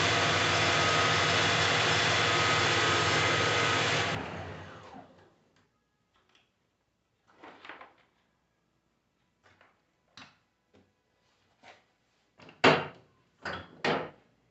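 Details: 24-volt alternator from an MB 1620 running on the bench at 24 V with warning lamp lit: smooth even whir, no grinding or rumble, clean spin-down; bearings sound healthy.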